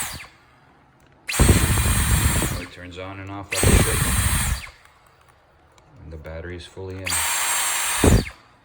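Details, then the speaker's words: Dyson V11 Torque cordless vacuum, after a trigger disassembly and modification to fix on/off problems: the motor runs at a steady high whine in three even bursts, then hums as it winds down. Neodymium magnets slow the armature; normal run and spin-down. "plenty of these uh these vacuums have a neodymium magnets in there so when they when the motor stops and sort of decouples it slows down their armature the spinning and you can hear like a hum or a bowing so that's just normal to these machines"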